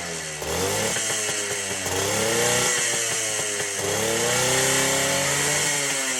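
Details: Two-stroke ATC three-wheeler, seized half an hour earlier and freed with plenty of top-end lubricant, smoking heavily: a crisp, even buzz that climbs and settles cleanly with the throttle, with no misfire or knock. Runs healthy.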